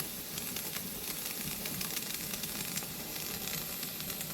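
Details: Pressure canner venting while canning fresh green beans: continuous soft hiss with faint crackle, no pops or sputter, steam escaping the vent hole before the canner seals and pressurizes. Normal venting.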